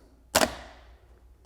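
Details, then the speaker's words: Repaired AutoZone remanufactured starter for a 1983 Porsche 944, bench-testing the solenoid after reassembly (shifter fork suspected fault): two crisp metallic clacks about a second apart as the pinion throws out cleanly; working properly. "So I'm gonna very carefully just try to test the solenoid here and see if that jams out."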